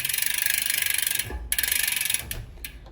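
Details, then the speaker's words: Bicycle with Shimano Ultegra drivetrain on the small chainring in gears 11 to 8: light steady freewheel and chain ticking, chain clears the front derailleur with no rubbing; normal drivetrain running. "There is a clearance between the chain and the derailleur, and the chain runs silently."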